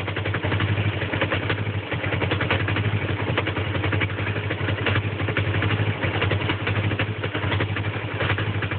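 A low, uneven idle with an irregular lumpy beat and a faint clatter over it; the engine is idling rough, cause unknown.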